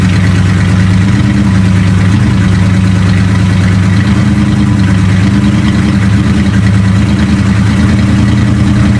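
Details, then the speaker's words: 1976 Dodge W200 tow truck, started after sitting a couple of weeks, fresh gas, not yet warmed up: loud low idle with an uneven, lumpy beat wavering every second or so; cylinders 7 and 8 dropping out intermittently, owner hopes not mechanical. "ER seven and eight kind of don't like to be there all the time I gotta figure out why hopefully it's not mechanical"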